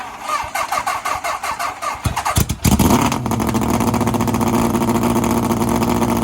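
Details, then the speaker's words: 750cc half-scale NASCAR kart, cold start after sitting two months, stalled earlier, which the owner suspects was from turning off the chokes too early before warm-up; uneven cranking then a fast, steady idle. "I turned off the chokes too early and it just wasn't warmed up enough, and I'm pretty sure that's why it died."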